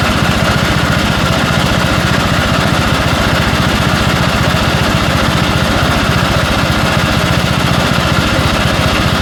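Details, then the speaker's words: 1974 Dynastar lawn tractor barn find (sat about 30 years), single-cylinder running after engine freshen-up and magneto coil replaced: loud thump with slight uneven rise and fall, a mild gallop/hunting; owner thinks it needs more carburetor work. "I think I'm probably going to have to do a little more carburetor work on it uh it does have a slight galup on it needs to be worked out of it"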